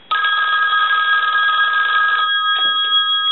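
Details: Red AT&T rotary dial 500 desk telephone, rung with the analyzer after the bell issue was fixed: clear steady metallic bell ring about two seconds, stops cleanly; strong, even ringer.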